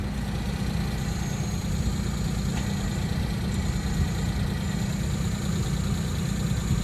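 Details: Suzuki Jimny JA11 at idle; steady low drone with faint high thin whine, clutch-area noise persisting even after release bearing replaced with new twice; cause unknown.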